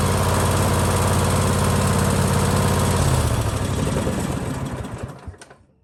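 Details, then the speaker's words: Husqvarna LGT2554 riding mower with a Kohler Courage 25 hp engine, after a surging fix inside the carburetor (a jet under the plate): a steady, even beat with no hunting or surging, then shutdown and coast to silence; normal steady running. "As you can see, all the surging is gone. It has not run like that before."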